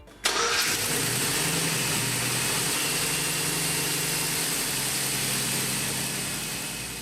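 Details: 2007 GMC truck with 4.3 engine, after power steering pump replacement, flush and vacuum bleeding: the starter catches and the engine settles into a smooth, even idle. No pump whine or groan, the previously noisy pump now runs quiet.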